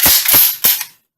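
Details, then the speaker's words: Mossberg Maverick 88 12-gauge pump shotgun after trigger pack reassembly, unloaded function check: three sharp metallic snaps as the hammer falls and the sear clicks back on trigger release; action works normally. "pull the trigger you hear the hammer hit racket again and you want to listen for this click when you release the trigger you won't hear that click that's seer clicking back so it'll fire"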